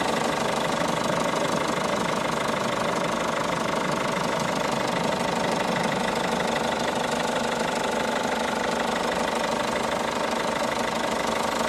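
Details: 2012 Peugeot 207 HDi diesel idling: regular hard tapping about three knocks a second over the engine clatter; engine knocking, cause unknown.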